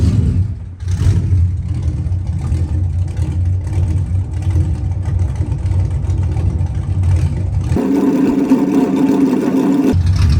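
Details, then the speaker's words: 1991 Chevy Camaro after replacing fuel tank, sending unit and fuel pump to fix a year-long fuel pressure problem: fuel pressure restored, steady deep even engine rumble with brief rise in pitch, no misses or knocks; running the best it ever has. "lo and behold after everything was said and done I'm getting fuel pressure um it the car is running the best I've ever had it running"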